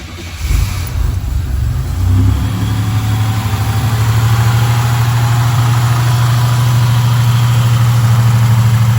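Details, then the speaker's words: 1987 Buick Regal Turbo T (W05), 87,979 miles, upgraded larger turbo, much money spent on the engine: catches, flares to fast idle, then settles to a smooth, even low rumble with no knocks or misfires; healthy idle. "A lot of money spent in this motor. Larger turbo. As you can hear, she just idled down."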